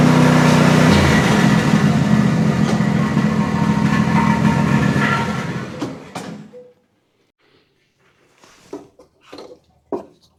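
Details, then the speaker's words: Exmark Quest zero-turn with a Briggs Intek V-twin after a valve guide repair, which previously bogged or died under load: a strong, even drone holding steady under load before shutting off, with both cylinders firing; normal running under load. "Got a lot of muffler noise for sure. Smoking real good from that one side, but you can tell it's got plenty of power."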